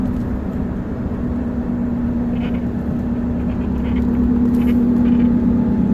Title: 2013 F150 buzzing noise at instrument panel or steering column